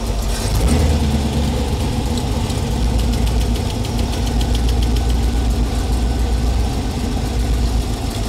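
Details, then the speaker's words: Small-block Chevy V8 in a 1932 Ford Coupe, idling during valve adjustment: a quick light ticking of excess lash on a backed-off rocker. Each rocker is set a quarter turn past where the clatter just stops; idle reacts to the vacuum change. "Okay, so where it just doesn't clatter, 1/4 turn past that."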